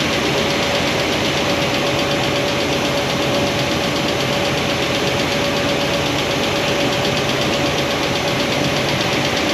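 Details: Idle with valve covers off on a new Comp Cams hydraulic roller cam and lifter combo after break-in, before poly lock adjustment: fast, light tick holding steady. Hydraulic roller lifter noise that won't adjust out, worst at number 7 exhaust.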